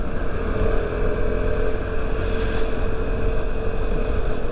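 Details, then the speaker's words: Vespa LX 150 i-get, 150 cc, on the road: steady single-cylinder drone with a slightly rough, clattery edge, possibly valve-related, described as normal and characteristic for the engine. "Ada khas-khasnya ya. Motor Itali itu kayaknya khas suara mesinnya itu agak kasar ya."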